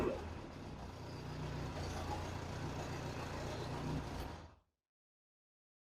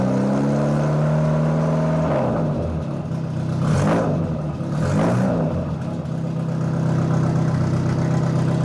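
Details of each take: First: Austin-Healey Bugeye Sprite idling after a near-straight-pipe muffler was swapped for a cheap replacement muffler: even, muted idle rumble with no rasp or drone for four seconds, then shut off; noticeably quieter, a healthy, well-silenced exhaust. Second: Austin-Healey Bugeye Sprite with used exhaust, idle and rev blips: harsh, raw, near straight-pipe bark; muffler barely muffling, to be replaced with a generic 1.5-inch inlet muffler.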